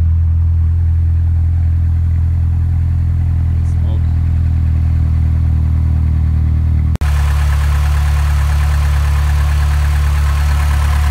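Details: Partially built 2.2 OHV engine (Wiseco pistons, Molnar rods, 8:1 compression, .0040 piston-to-wall clearance, GT28 turbo, 32 psi) on a −20°C cold start: deep uneven idle with dull knock. Piston slap before warm-up.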